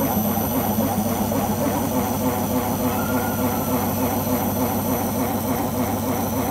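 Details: Beko washing machine during the spin cycle: a deep, steady roar with a pulsing throb, much like a vehicle engine, abnormally loud; the owner suspects the rubber behind the drum, cause unconfirmed.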